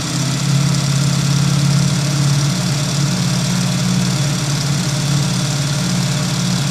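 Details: Ducati (production number 725) on stock exhaust, loud lumpy low idle with a dry metallic rattle on top; characteristic Ducati dry clutch chatter, sound changes when clutch lever is pulled; normal.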